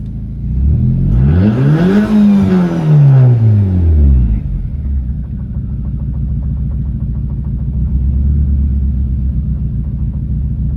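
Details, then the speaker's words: Nissan Juke being converted from MAF to speed density, after hard revving to build positive manifold pressure: revs swing up and drop, then a ragged, stumbling idle; owner suspects an intake tube blew off, unconfirmed. "I'm wondering if I blew the tube off cuz it's running like now all right let's uh pause that I'm going to look at that and I'm also going to check the tube under the hood cuz now it's running really really off"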